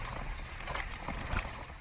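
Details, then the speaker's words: Hotpoint/Indesit (Whirlpool group) dishwasher, recorded inside: steady gurgling water spray hitting plates, no knocking or stalling; spray arm rotating correctly under water pressure, normal wash. "our first clip from inside the dishwasher is showing you that the water pressure that is hitting the plate is causing the arm to rotate this is actually causing it to spin at the correct rotation therefore actually washing the plates correctly"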